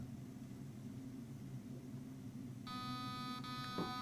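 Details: T238 optical MOSFET in a gel blaster, powered on with the battery reconnected in auto and the trigger pulled to enter programming; the auto switch may still need calibration: low hum, then a short run of high electronic beeps confirming entry.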